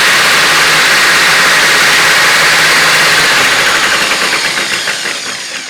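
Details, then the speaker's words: Hoover F3871 three-brush suction polisher: loud hissing motor with a fast, even rattle of about three clacks a second, fading as it spins down; clatter seems to come from the brush drive, not the motor itself. "Now it might be, it's supposed to make that noise because a lot of the clattering noise seems to be coming from here, not the actual motor."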